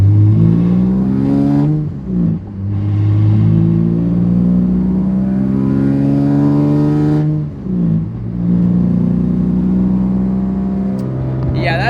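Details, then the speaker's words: Twin-turbo VR30-swapped Nissan 350Z with a newly installed Tomei Ti titanium exhaust, driving: the engine pulls through the gears with a light tapping rattle over the exhaust drone, heard as cabin vibration. The exhaust pipe is hitting the car's subframe. "I noticed a weird inside of the cabin noise like a vibrating noise turns out the wipe is actually hitting the subframe of the car"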